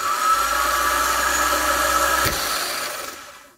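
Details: Honda Fit starter (31200-RB1-013) bench-tested out of car, jumped from solenoid, mimicking cold-start screech: dry high whirring spin with raspy edge, fading as it coasts; suspected dry grease or worn bendix-end bushing letting the shaft wobble.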